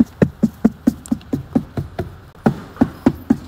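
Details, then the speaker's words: Tesla Model 3 (refresh) B-pillar trim after padding six contact points with foam strips; firm hand slaps give clean dull thumps, no buzz or rattle, trim now tight. "在很用力的拍也没有异响。"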